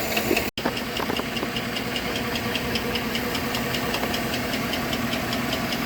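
An idling car engine with a steady, sharp tapping knock, a few taps a second, over the running hum. Cause suspected, not confirmed.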